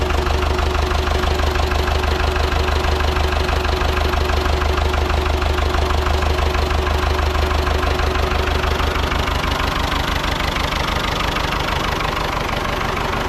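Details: Ford 6600 diesel tractor, sitting about 8 years, just started after starting-fluid spray bursts while cranking; low on antifreeze so run briefly, some smoke. Even diesel clatter at steady idle, regular firing, no misses or knocks: normal idle.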